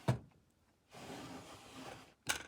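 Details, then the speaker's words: Wooden apothecary cabinet drawer with UHMW tape applied to the runner channel: knocks, glides quietly with a soft even rub, then thuds shut without squeaking or drag. "And it helps reduce like that squeak with the drawers and so there's no drag on them, you know, when you pull them out."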